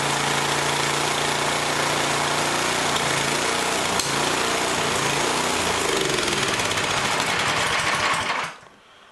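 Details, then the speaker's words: Yardworks snowblower, small single-cylinder engine of about 192cc, during a tune-up: the beat wanders up and down, hunting as if starved of fuel, and steadies at half to three-quarter choke; owner suspects it needs proper gaskets and a carb kit. "so yeah it's hunting a bit it sounds like it's starving when I put the choke on about half or 3/4 it uh levels out so chances are I need to just get some proper gaskets and do a carb kit on it"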